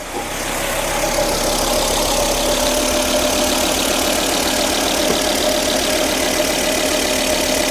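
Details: 2004 Volvo S80 after radiator replacement following severe overheating, thermostat not replaced, freshly started cold: steady, even idle with faint high whir, no misses or knocks; sounds smooth, not yet at temperature.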